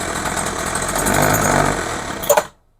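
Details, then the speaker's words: Craftsman hedge trimmer, 21cc two-stroke, with new fuel lines and a rebuilt RB-29 carburettor, tried at full, half and no choke: uneven surging and stumbling, then it dies. Carburettor metering fault, not getting enough fuel. "Okay, so obviously it needs adjustment. Or I did something wrong in the carb. I don't think so, but you never know."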